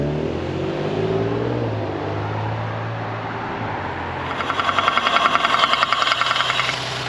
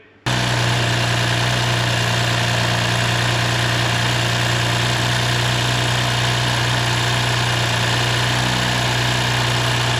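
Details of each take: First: Audi S4 B9 3.0T V6: uneven running with fast sharp ticking as revs rise; unhealthy, cause unknown, high compression on cylinder two suspected. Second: Audi S4 B9 3.0T at 55,000 miles, after precautionary rocker arm replacement, new oil and filter, first start: smooth even idle with steady low hum, no ticking or knocking; normal idle.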